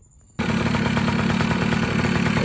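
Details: 2000 Kawasaki KE100 two-stroke, started right after an oil change (about 0.65 qt): catches at once into a crisp, even ring-ding idle with no misfires. The engine is healthy; the clutch later slipped on the new oil.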